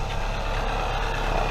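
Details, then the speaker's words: 1996–2000 Toyota RAV4 3S-FE idling after welding and repainting an exhaust leak: steady, even low rumble, much quieter, no puffing or ticking from the exhaust; leak fixed, system sealed. "so here's the after sound of what it sounds like much quieter a little bit why it as a cat pretty quiet"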